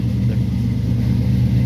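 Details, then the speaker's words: A 1967 Barracuda V8 just fired after sitting roughly a year. It gives a deep, steady rumble with an even low throb and no knocks or misses, running smoothly. "there it goes this thing's been sitting for"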